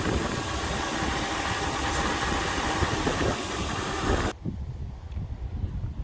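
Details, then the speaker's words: 2001 Lexus LS430 with 3UZ-FE V8 at idle, about 20 inHg (70 kPa) engine vacuum: smooth, even low rumble with no misses, knocks or ticks; healthy reference engine. "so it's a 2001 it's got the 3 Z and it runs nicely"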